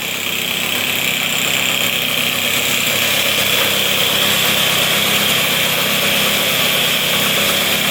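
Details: 1978 Puch two-stroke moped, just revived: a light, buzzy idle holds an even, steady note with no misses or knocks; idling normally.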